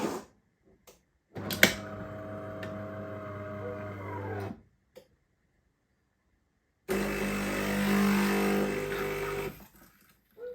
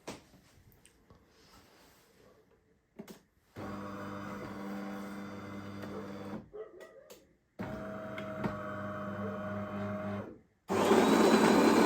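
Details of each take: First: Used bean-to-cup automatic coffee machine during coffee extraction: a persistent steady pump drone with a few faint cracks from the internal mechanism. The cause of the cracking is unclear. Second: Used bean-to-cup automatic coffee machine, grinder on high setting during test: steady even hum in two runs, no whine or grinding; grinder sounds solid and healthy.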